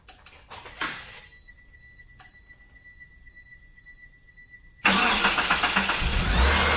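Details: 1997 Mitsubishi Eclipse Spyder 2.4 SOHC after timing belt replacement, first start with accessory belts off; brief crank, pause, then catches into full even run, no belt squeal; owner says smoother, more responsive; normal start and idle.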